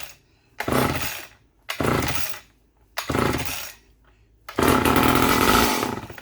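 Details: Vintage Poulan Super 25 (S25DAV) chainsaw with fuel poured down the carb, throttle held wide open: four short bursts each revving then dying within a second.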